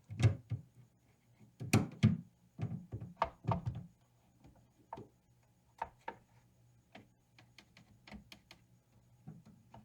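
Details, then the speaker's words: 1970s Fender Bassman 50 tube amp during a poke test: poking the orange lead gives irregular crackle and thumps through the speaker over a faint steady hum; suspected causes are the tube, a solder joint or a microphonic wire. "So it could be the actual tube there, soldering joint here, or even just a microphonic wire."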